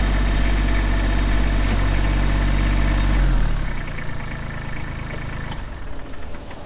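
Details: Kubota B7500 4WD tractor with loader, belly mower, hydro drive, 21HP diesel, 1,249 hours, idling after start-up: steady, even low diesel clatter with no knocks or misses, dropping smoothly as throttle eases back; normal healthy idle.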